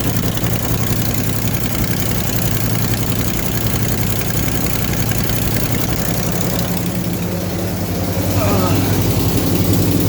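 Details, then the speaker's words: Mopar V8 with welded headers, idling up on jacks after new header-to-pipe gaskets: lumpy idle with a rapid puffing tick on each exhaust beat; sounds like a leak still at the manifold-to-head joint, quieter than before. "sounds like it's blowing at the manifold i think there's a fellow here at the but it certainly isn't as loud as what it was anyway"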